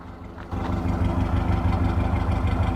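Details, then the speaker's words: 1982 Toyota 22R with a performance-curved distributor and Weber 32/36 carburetor after tuning, idle set back to about 750 rpm, heard at the exhaust: steady, even low pulses, healthy idle. "Get it back down to about 750. Listen to that. It's just happy."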